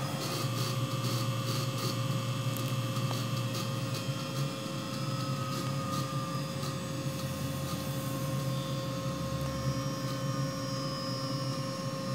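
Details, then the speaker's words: Hitachi WJ200 VFD auto-tune on a new 3HP ATC spindle (Grizzly G0704 mill), pulsing varying power into the motor, then spinning it up. Quick electrical pulses over a low hum, then a smooth steady whir; auto-tune completed successfully. "so I can hear it pulsing different amounts of power through the motor and presumably it's measuring the electrical characteristics"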